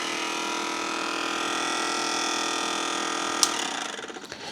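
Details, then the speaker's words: BP Microsystems Silicon Sculptor 3 device programmer with internal 486 PC, powered up with cover off: steady high whirring with several fixed tones from its single 12 V fan, judged noisy, until a handling clunk. "definitely is going to need fans so know if you can hear that yeah that's that fan yep one fan it's this fan right"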